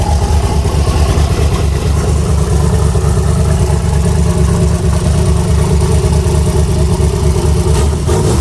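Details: Chevy Nova with S480 turbo swap, turbo V8 just fired up in freezing cold (about 27 degrees) and warming up to temperature: steady, even low rumble with a smooth lumpy V8 beat and no knocks or ticks. Normal idle.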